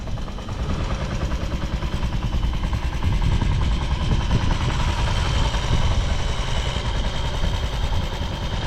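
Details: Vintage Honda Jorcub scooter (AF53-1000) running check, engine free of abnormal noise and quiet; fast, even single-cylinder putter at idle, steady and smooth with no knocks or rattles, healthy.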